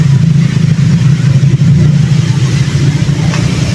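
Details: Shallow water pump with bladder pressure tank, just wired and switched on, heard at the pressure tank: steady, deep rumbling hum with no knocking or squeal as water flows into the tank; normal pump operation.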